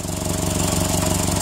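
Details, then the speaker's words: 2002 Toyota Tacoma with a repeated P0136 code at idle: rapid sharp puffing ticks in step with each firing pulse from a small exhaust leak ahead of the downstream O2 sensor. The leak, with no carbon tracing, skews the sensor reading. "see the O2 sensor voltage cycle that's going in through this little bit of a leak which you can hear"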